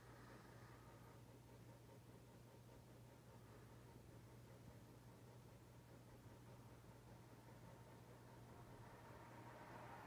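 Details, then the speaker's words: 1991 Casablanca Stealth 54-inch ceiling fan, Gallery Edition with Comfort Touch control, nearly 30 years old, running on its lowest speed setting. A quiet, steady low hum with an even airy whoosh and no ticking or wobble. Normal low-speed running. "So let's go ahead and start it off on the lowest setting."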